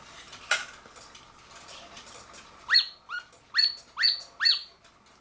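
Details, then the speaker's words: Circa-1940 Lux one-day double-weight cuckoo clock: a relay click, then a string of thin, airy two-note cuckoo calls; the bellows are suspect. "so I think I'm just going to possibly take this Bellow out and fix it and I'm not certain you have to listen to it a little bit better to see if I really want to oil this"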